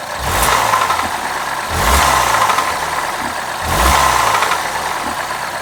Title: BMW F20 116i N13 engine noise